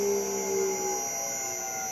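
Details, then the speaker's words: Hopewind 5 hp VFD driving a 1200 RPM motor, run up to about 90 Hz then decelerated: smooth electrical hum and whir easing down in pitch as the drive brakes the motor rather than coasting; normal. "when you decelerate it breaks it just doesn't coast down it actually breaks the motor down slowly and I'm gonna let it come to a stop"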